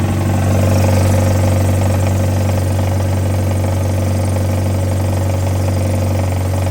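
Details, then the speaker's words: Mazda Miata, automatic, after crank saver install and bolt re-tightened: steady idle with a faint, even rattle about three times a second, likely at the front; owner suspects something left untightened, since there was no knock before, and notes the crank pulley still wobbles slightly. "so I don't know and I didn't tight something's rattling I didn't tighten something cuz it didn't have the like knock before so we'll figure it out"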